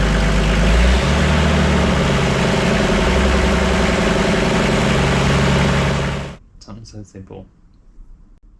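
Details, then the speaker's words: Toyota 2H diesel from an HJ47 wreck; even diesel clatter at idle with no misses or knocks for about six seconds, then a clean shutdown; looks healthy with very little blow-by. "we said it would run and it has and it bloody looks really healthy very little blow-by"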